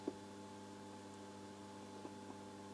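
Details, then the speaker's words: Amerikansk Ljudteknik GF 10 tube guitar amp during restoration, before capacitor replacement: faint, steady hum with light hiss constantly in the speaker, a few soft clicks; source unknown: constant background hum and hiss. "there's a little bit of background noise here i don't think you can almost hear it but there's something making noise in the speaker and it's there all the time"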